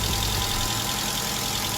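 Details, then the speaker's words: 200 with a newish battery that would not crank, starting after a bad ground and positive connections were found: short, steady idle with an even low hum; normal idle. "See if we start. There we go. We're now started and running."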